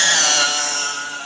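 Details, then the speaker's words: 1965 Chrysler New Yorker windshield washer fluid pump motor, jumped directly to positive and ground: steady high-pitched electric whir with a bright, even tone, slowly easing off; works fine, noisy but normal. "works fine pretty noisy but it sounds like it should"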